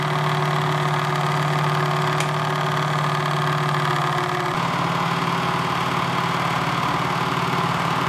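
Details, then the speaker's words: A 3D-printed worm-gear winch lifting a 150 lb CNC table up a wall gives a steady motor drone with fast, uneven clicking of about 220 per minute. The clicking grows under load, and the metal mounting plate amplifies it. Every gear set made the same noise. "And the noise gets louder when it's under load. And being mounted to the metal plate seems to amplify it. So, it's sounding a lot louder than it really is."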